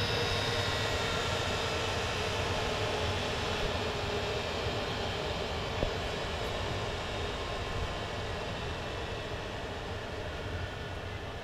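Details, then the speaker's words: 2 kW Chinese diesel air heater after shutdown in its cooldown cycle: fan slowing down and glow plug on to burn off any unburned fuel; steady airy blower rush easing over several seconds; normal cooldown. "it's doing now is it's slowing them to fan down and return the glow plug on"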